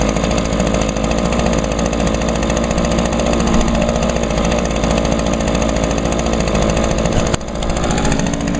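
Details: Echo two-stroke handheld blower from the Echo lineup, run with only a little fuel, started on choke after priming; revs high, steady and crisp with no misses or surging, runs as well as six years ago: normal running.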